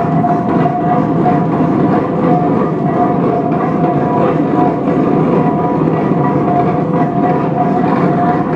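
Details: 1917 Minneapolis 40-80 tractor running for the first time after rebuild: steady, even low chug with a constant tone over it, no knocks or misses.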